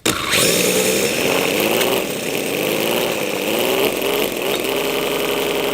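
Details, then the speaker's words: Damaged 250cc mini V12 model engine, run after a dyno run and before teardown: buzzy high revs surging unevenly with a chuffing, train-like rhythm; low compression suspected from internal damage, possibly overheating from an undersized 4 mm ID coolant line. "definitely sounds like some compression issues sounds like a train engine or something"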